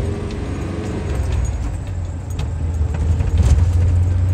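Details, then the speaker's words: 2005 Chevrolet Silverado manual, after repairing misfires on cylinders 1 and 2: a low engine drone rises smoothly as it pulls away, with no stumble, hesitation or misfire and some cab rattle; normal running under acceleration. "but now it's it's nice and smooth it accelerates real good no hesitation at all"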